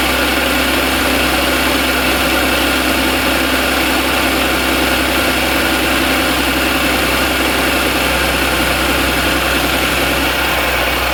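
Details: 2014 Audi S4 3.0T, 106k miles, pulley, intake, heat exchanger and DSG tune mods, failed suddenly while driving; loud rough clatter at idle about two or three a second, suspected rod knock, not confirmed.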